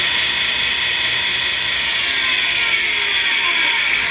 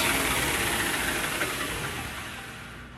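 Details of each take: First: KMG 2x72 belt grinder, normally very quiet, started screeching while grinding knives: a constant high-pitched, gritty screech over the belt hiss. A platen wheel bearing is seizing. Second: 2x72 KMG belt grinder, testing the platen wheels after screeching began; the good wheel's smooth, even whirring hiss with no knock or rumble, as it normally sounds; the other wheel's bearing is shot; normal running.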